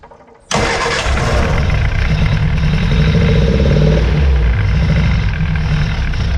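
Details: 1966 Austin Healey Sprite four-cylinder, first start after new ignition switch and battery, leaking carburetor bowls hand-filled: catches and settles into a rough, lumpy, stumbling idle, missing; good oil pressure, tune-up planned.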